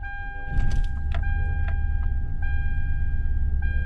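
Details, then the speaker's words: 2003 Toyota Camry Solara started after sitting for weeks, ahead of a block and head gasket test: an uneven, lumpy idle with a heavy throb and stumbles that shakes the hood and briefly revs up. Rough running, misfire suspected, cause unconfirmed. "you hear that that's really ruining quite bad I can see it shaking the water on the hood"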